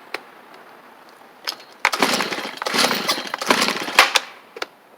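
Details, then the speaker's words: Free Stihl 290 chainsaw: several quick pull-cord bursts, tried to fire once but won't catch; owner suspects it flooded. "that's good I think this 290 will run it tried just a second ago I wonder if it flooded itself [Applause] out I probably flooded it"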